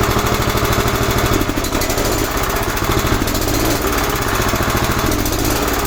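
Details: 11 hp Honda single on an Emglo air compressor, after a carburetor and air cleaner box replacement. Busy, steady chatter at an even pace while pumping up the two long tanks: running right under compressor load.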